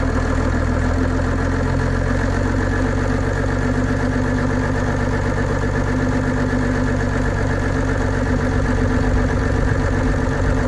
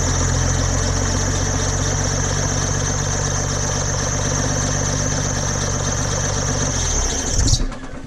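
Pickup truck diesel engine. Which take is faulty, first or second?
second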